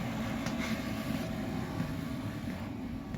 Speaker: So it's a lot quieter than what I thought it'd be. I'm used to the, those diesel ones to where if you had that on, you just couldn't, you'd just drive you out of the shop.